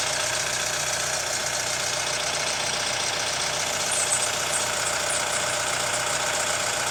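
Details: Hyundai ix35 CRDi 136 hp diesel at hot idle: a regular tapping knock about 150 per minute over steady clatter. Owner suspects hydraulic lifters or the chain tensioner; unconfirmed.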